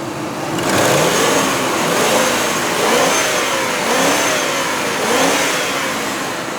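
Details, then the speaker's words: 2000 Ford Expedition Eddie Bauer AWD V8 revved several times; smooth, clean revs rising and falling with no valvetrain noise, taps or knocks; healthy engine. "okay you don't need to be a mechanic to know that sounds good there's no valvetrain noise no taps no knocks none of the problems you would expect"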